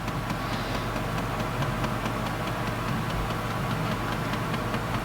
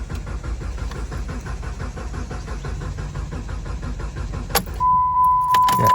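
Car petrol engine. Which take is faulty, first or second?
second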